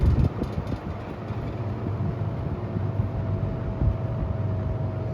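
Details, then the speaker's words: Late-1970s Toastmaster 7324 three-speed fan, bought used and run for the first time before restoration, cycling through its speeds: a steady low motor hum with a faint constant tone under the airflow; owner says it hums, but less than another example. "The motor does hum, which someone on YouTube has the brown version with the Venturi, and there's also hums, but this hum is not as bad as the other one. It sounds really nice."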